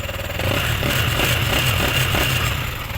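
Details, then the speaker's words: Sniper 155 single-cylinder engine revving after replacing worn camshaft bearings (6001); smooth with a steady exhaust beat and no more knock from the cylinder head. "okay hilom na ang makina no wala na saba kagot"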